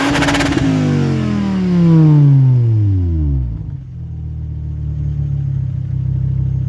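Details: 2004 Volvo S60 2.4 five-cylinder petrol with broken leaking rear silencer (backbox): rapid stutter on the rev limiter, then loud rough idle through the exhaust leak.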